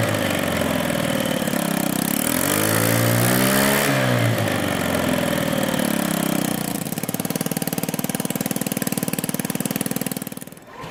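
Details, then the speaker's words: Honda Ruckus scooter with the original exhaust broken where the header pipe meets the cylinder head, after an earlier weld repair: a loud, raspy blat that rises on revs, then settles to a coarse, chuffing idle. This is before fitting a new Yoshimura exhaust. "Before we get started removing the old exhaust, I want to show you what a broken exhaust sounds like."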